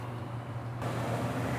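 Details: Consul washing machine on the spin cycle after the noise repair: a steady low hum settles into an even drum spin with no knocking, rattling or scraping, confirming the noise is fixed.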